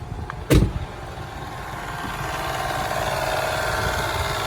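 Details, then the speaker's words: 1999 Toyota 4Runner SR5, 3.4L 24-valve V6, 268k, front-end collision damage. After one thump, a quiet, smooth idle with a steady scraping rasp from the cooling fan rubbing. The engine otherwise runs well. "Smooth running little motor. She's quiet. Besides that fan getting rubbed to death, runs pretty good."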